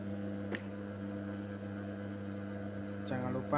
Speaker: Ini mesin faset yang saya gunakan, mesin faset manual, mesin faset yang kecil. Ini suaranya agak berisik ya, karena seperti putaran gerinda ya.